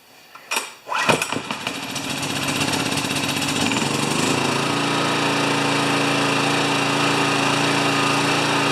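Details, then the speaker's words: Honda EX1000 generator that only ran on choke, now running after repair: engine pulls over and holds a steady high buzz at no load, never dropping back to idle; governor adjustment planned. "the only thing it's not doing is when it's on no load it doesn't drop back to idle"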